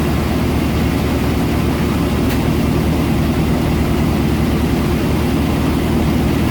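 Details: 1990 Chevy K1500 pickup before exhaust repair: loud, raw, deep rumble at steady idle with no muffling, from a leaking, rusted exhaust pipe with the muffler gone.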